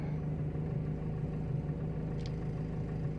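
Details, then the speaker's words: Timor DOHC engine, now warm, at an idle that has settled to a stable ~800 rpm after its cold fast idle; a smooth, even low hum with no misses, knocks or hunting, so a normal warm idle. "Erpan udah stabil seperti ini yang Hai untuk mengecek akselerasi naiknya RPM dari awal sampai menuju ke titik ke RPM tertinggi"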